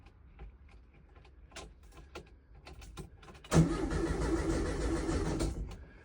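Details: 1969 VW Beetle, first start attempt in 33 years, rebuilt carburetor and rigged fuel supply: about two seconds of even cranking that never fires; cranks but no start, later runs after the points were cleaned.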